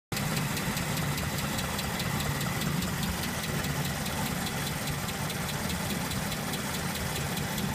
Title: Ticking Noise 69' IIA